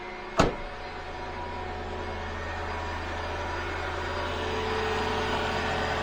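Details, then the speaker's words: Mercedes ML W163 after replacing the auxiliary water pump with a new, slightly larger-ported one: after a click the engine hums steadily with an even faint electric whine, new pump running, no leaks; normal auxiliary coolant pump operation. "This is your auxiliary water pump working right here. You know it's working."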